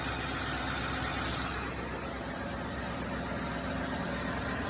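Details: 2016 Ford F-150 5.0 L, 62,000 miles, A/C troubleshooting: steady rushing fan roar builds over a smooth idle, no knocks; electric cooling fan kicking on, expansion valve blockage suspected.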